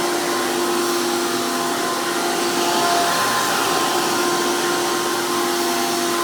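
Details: 2002 Hoover PowerMax II U5246-940 Elite upright vacuum with 12 amp motor and 20-blade fan impeller, after motor work: loud, steady high-pitched roar with even airflow rush, no grinding or surging; normal healthy motor.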